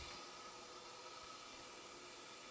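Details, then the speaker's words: Semitool 270-S tabletop spin rinse dryer near the end of a spin-dry cycle: steady airy rush with a faint thin high tone, even and unwavering; run going normally, substrates came out dry. "Alrighty, down to the last 30 seconds. Everything seems to be going okay."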